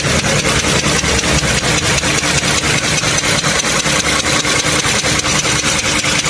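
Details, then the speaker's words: Toyota Camry 3.5 L V6 2GR, about 100,000 km, recorded in the engine bay before teardown: sharp, evenly spaced knocks about five a second over a warm idle, a rod bearing knock. "Động cơ phát ra tiếng gõ như thế này. Nghe tiếng lách cách lách cách lách cách này."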